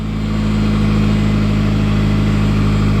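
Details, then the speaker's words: Ford Escort RS Cosworth that kept cutting out; after fitting a new fuel filter the idle hum still has an uneven pulsing beat, about four a second, spluttering and missing at tick-over; misfire at idle persists. "and it appears that is a successful fuel filter change by fellas now with the new fuel filter fitted it is un fortunately still spluttering and missing on tick over"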